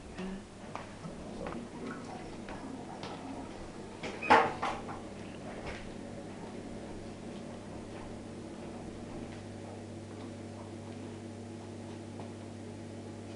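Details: Miele dishwasher loaded and started on the Normal (65) program: the door thuds shut, then a low, steady hum settles in with faint light clicking behind it, a normal cycle start.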